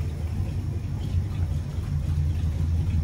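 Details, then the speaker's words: 1968 Ford Galaxie 500 after sitting for years, idling on a cheap carburetor after a carburetor gasket vacuum leak was fixed; deep, smooth, even low rumble with no misses or ticks; healthy steady idle. "Well, I figured out a problem. We just had a carburetor gasket leak, and I got it fixed. Little carburetor, that little cheap carburetor, just sitting here idling."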